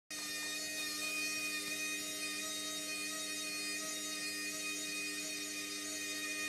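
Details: Hotpoint Smart Tech washing machine on the Eco Cottons programme: steady, loud, high-pitched whine over a light rumble, holding at spin speed; the spin is noisier than it should be, cause unknown.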